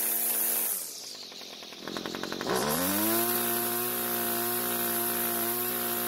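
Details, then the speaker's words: Homelite string trimmer two-stroke, restarted without choke after flooding: a few rope pulls, then it catches, revs and settles into a steady buzzing idle; it runs well with no carb adjustment needed. "The good news is that it started and ran very well. In fact, I'm happy enough with the way the engine idled and ran at wide open throttle that I don't feel the need to adjust the carb."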